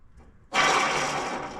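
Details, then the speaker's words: John Deere Scotts 20/48 lawn tractor, idler pulley removed during drive belt replacement and spun by hand: rough, gritty whir fading as it coasts, a flat, worn idler bearing; the seal looks removable, so the bearing may be serviceable. "That's a pretty bad flat idler."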